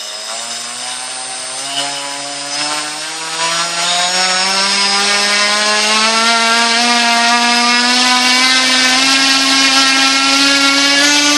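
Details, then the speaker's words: Turnigy Multistar 2209 1200KV Blade 350 QX upgrade motor with carbon fiber prop, mounted upside down on a scale for a thrust test of about 1.5 lb. A clean whine rising smoothly with throttle, no roughness or rattle; normal running. "can you hear that that just sounds so smooth"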